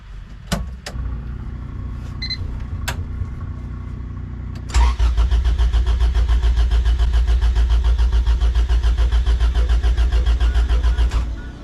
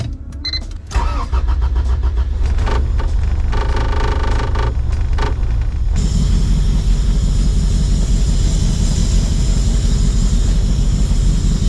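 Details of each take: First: Honda fitted with a Hondata coil-on-plug retrofit; the injectors check out good and the fuel pump sounds off. The starter churns at a steady three-and-a-half beats per second for six seconds without catching; no spark because the ignition sync wire was spliced wrong. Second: Honda engine after Hondata coil-on-plug retrofit, started with battery reconnected: cranks briefly, catches after about a second, settles into a steady, strong idle with deep exhaust note; starts and runs normally, then left to warm up.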